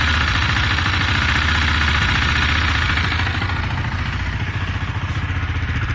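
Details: 2018 KTM Duke 390 single at idle, 8500 km: light regular metallic tick on each beat, noticed for four months, clearer on deceleration and fading slightly as revs drop. Cause unknown.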